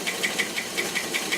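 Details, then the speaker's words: Rolls-Royce Silver Cloud III after a fail-to-proceed repair: sharp light top-end taps about six a second over a steady idle, quickening as the throttle opens; running still too rich, tap cause not yet known. "Hear that tapping? See how it speeds up when I open it up? So it's still a little too rich."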